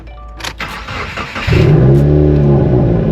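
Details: Salvage Subaru WRX after installing a Mishimoto front-mount intercooler and a reshaped Cobb cold air intake, with codes cleared, started outside in the low 20s: a short crank, then it fires and flares before settling into a smooth, even idle. No check engine light; healthy start.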